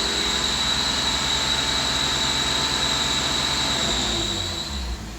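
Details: 2012 BMW 135i N55, revving past 2,000 rpm: a piercing, steady high squeal from the engine bay, audible from the driver's seat, that fades as revs drop. Its source is not yet found.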